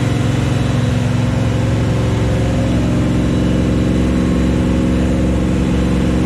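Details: 1974 Chevy Nova, new Chevy 350 V8 on first start: a deep, even burble held steady at a raised speed, firing smoothly for cam break-in. Normal. It was shut down early for oil squirting from the valve covers with no PCV valve or breather.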